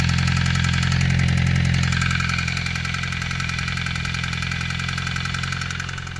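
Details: 2008 Suzuki GSXR 600 at idle, temperature about 220°F: a fast tick/click about three per second over the engine. Oil light comes on almost instantly when the clutch is pulled in; the sight glass always reads full despite a recent oil change. Cause unconfirmed.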